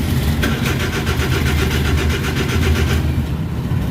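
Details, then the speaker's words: Suzuki DA64/DA63/DA17, no ECM communication or shifter indicator lights, code P0707; steady starter cranking at about five pulses a second with no firing, caused by a blown 15 fuse. Crank no start. "So walang walang wala ring ah lights 'yung indicator ng kanyang ah shifter. Pati 'yung ah signal dito wala ring communication. So kaya nagkaroon siya ng malfunction."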